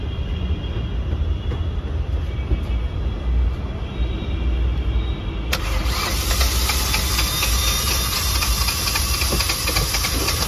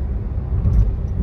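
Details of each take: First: Hyundai Venue turbo petrol engine that lost power on a road test starts and settles into an uneven, lumpy misfiring idle; spark plugs on cylinders one and two were sparking very weakly. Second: Hyundai Venue turbo on road test after misfire repair (weak spark plug found, plug swapped between cylinders to confirm): deep, even engine rumble under load with no stumbling, turbo boost returned, pickup good.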